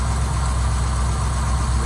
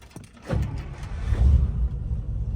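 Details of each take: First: 1955 Buick that used to stall at low speed and start slowly, after carburettor work, started next day; deep, even idle rumble, constant beat, no stumbling or stalling; normal idle. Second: 1955 Buick, slow to start and stalling at low speed, owner suspects carburetor: uneven cranking after pumping gas, then catches, revs and settles to a rough idle that stalls unless throttle is held; needs about 15 minutes warm-up.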